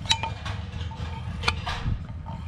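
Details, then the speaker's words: Fuel gauge sender removed from a 2017 KTM 1090 Adventure R tank, shaken by hand: light, irregular clinks and rattles as the float slides freely inside its cylinder tube with nothing binding. "that one moves pretty freely"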